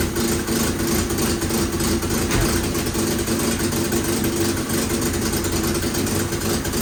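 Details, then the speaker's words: 1967 Volvo 122 Amazon that sat 35 years, idling on the old exhaust before a 2-inch sport exhaust is fitted: loud, raspy idle with an uneven puffing chuff about three per second. Exhaust manifold leak found at the downpipe flange. "You can see where it was all leaking in here. Yeah, it's no good."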